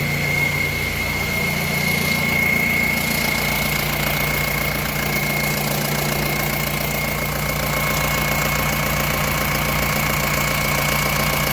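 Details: Mahindra Roxor diesel after fuel filter, oil, oil filter, air filter and transfer case oil change, fuel system primed and checked for leaks: steady, even clatter at idle for about twelve seconds with no misses, knocks or surges; normal idle.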